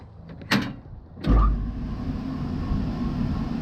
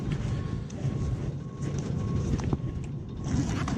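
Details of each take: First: Rooftop (RTU) HVAC blower after bearing housing remount and a belt adjustment: a couple of clunks, then a steady even low hum with no wobble or knock; motor running much smoother and the unit no longer shakes. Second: Noisy rooftop (RTU) HVAC unit, blower the only moving part, thumping and rattling at times and shaking slightly: deep steady blower rumble with uneven thumps and rattles; blower wheel bearing housing held by one bolt, other holes stripped.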